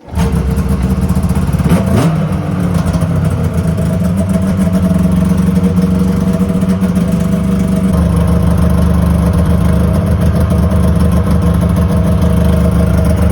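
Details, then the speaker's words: 2001 Yamaha Venture two-stroke snowmobile after cylinder repair and carb clean (main and pilot jets were plugged, likely leaned out); steady even drone, smooth low note, no misses or surging; running mint. "So yeah, in that video you saw that the Venture is running mint. It starts up great, and so that's all done."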